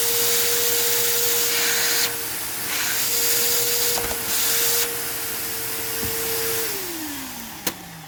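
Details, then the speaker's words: Rusty vacuum run with a swapped-in hose that is also clogged: steady high whine over airy hiss, winding down at shutoff; the motor works but sounds a little worn. "well now i've got two clogged hoses i tried oh okay well it does work and the motor's not horrible a little worn sounding like a lot of these are"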